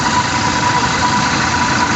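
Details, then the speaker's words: Toyota New Fortuner VRZ at idle, compressor at lower left front, noise persists with AC switched off: steady rough growl, no pitch change; AC compressor pulley clutch plate worn and dragging, to be removed and confirmed. "kalau saya sudah positif ya tuh kalau seperti ini tuh yang bunyi adalah piring puli kompresor AC nya"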